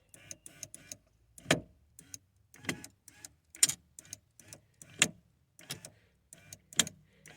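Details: 1994-2004 Ford Mustang power window winding up with sharp pops and clicks about once a second, motor fine; regulator gears jumping, fixed by pushing the gear farther in so it stops hitting.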